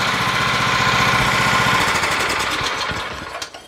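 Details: Craftsman riding mower with a Kohler Command engine, after replacing the sheared flywheel key that caused backfiring and a no-start: fires evenly at a steady rapid beat with no pops or backfires, then winds down smoothly; running normally.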